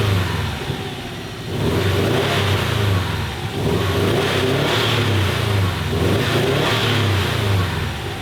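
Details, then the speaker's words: 2015 Subaru WRX STI EJ257 boxer, first start after engine rebuild (coolant-in-oil problem): revving lumpy and uneven as a cylinder misfires, no coolant leaking yet. "Okay. Well, now the car is misfiring."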